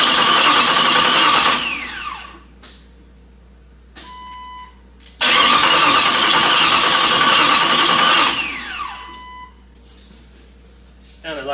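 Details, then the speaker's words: Chrysler 318 V8 from a Grand Cherokee mated to an AW4 in a Jeep, first start on starting fluid with no fuel pressure yet: it fires, revs about two seconds and dies, repeatedly. Owner suspects it is running out of fuel. "a pretty rapid die if you ask me Dam 1's like a lot of starting fluid but I don't like spraying a lot I think it's good I think it's just running out of fuel really really quick"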